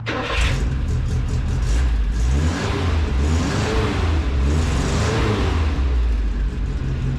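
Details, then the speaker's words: Old U-Haul with welded rear differential, just fitted with a new red glass pack exhaust; engine picks up quickly through several blips and settles, deep moderate exhaust tone, not overly loud, flowing better and revving quicker, no rattles; normal revving. "Pretty happy with how that sounds. I was worried it was going to be too loud. It's not overly loud. It is definitely flowing better, revving quicker."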